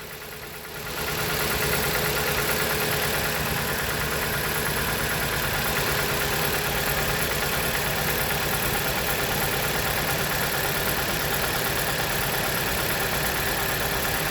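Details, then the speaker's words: 2016 Jeep Patriot with codes P0302, P0171, P2096 and P000A, during a coil-connector test: rough idle with an uneven beat about three times a second as one cylinder drops out; that cylinder is misfiring while the others show a change. "There's a change there, so that's an indication that this cylinder is working, keeping everything in balance. This one isn't."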